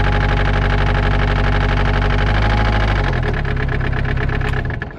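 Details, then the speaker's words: Kubota excavator diesel running steady: heavy, fairly regular knock about three times a second under the engine note; owner suspects a connecting rod or similar bottom-end fault. "pretty sure that's connecting rod or something like that"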